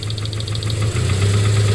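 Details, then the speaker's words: 2009 Subaru Forester 2.5 at idle, plug wire back on: sharp, regular metallic bottom-end knocking continues unchanged. Earlier pulling the rear cylinder 3 wire made the knock go away; rod knock. "If you have coils, it's a little harder to do, but the whole idea is to somehow disconnect the spark from that spark plug, and you will find out which rod is knocking in your vehicle."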